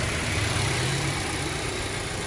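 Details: Boxer engine started during a basic service, checking for oil filter leaks: even, steady low rumble with no knocks, ticks or misses; smooth, healthy idle.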